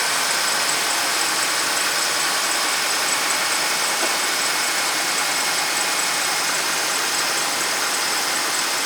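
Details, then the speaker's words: 2008 Dodge Ram 2500 5.7 V8, two-wheel drive, right after starter replacement (old one cranked slowly): cranks and settles into an even steady idle with no knocks or misses; normal start. "Let's crank it. Let's crank it. Sounds good, guys. Sounds good."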